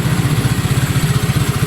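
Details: Honda Click 150 scooter idling steadily after repair, even low exhaust pulses about twelve per second; it previously cranked but wouldn't start because the rocker arm and intake valve spring were installed upside down.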